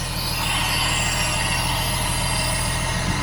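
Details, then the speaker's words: 1967 Jaguar Mark 2 3.4 automatic, in park, warmed up after brake repairs: even, steady, smooth low-drone idle with no misfires, hunting or ticking, settled nicely once the choke/enrichment device turned off; normal idle. "Down to a nice idle now after the enrichment device turned off."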